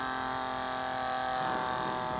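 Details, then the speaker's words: DIY cheap smoke machine made from a vape pen atomizer and an air pump, properly soldered and powered: a steady, deep, even hum with no wavering or rattle; normal running. "if you do it right why are everything up correctly then when you put power it should sound like that you should see some smoke"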